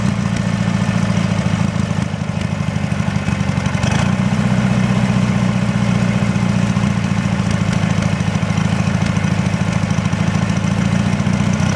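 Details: Briggs & Stratton 18 HP engine on a Wheel Horse GT-1642 garden tractor: low steady idle with an uneven, lumpy beat that never settles; rough idle.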